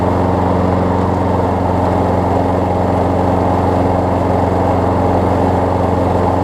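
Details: Craftsman six-horsepower front-drive self-propelled push mower after new pull rope, spark plug, air filter, belt refit and lubed self-propel cable: even, steady putter with no misses, knocks or surging; runs well, self-propel works as designed.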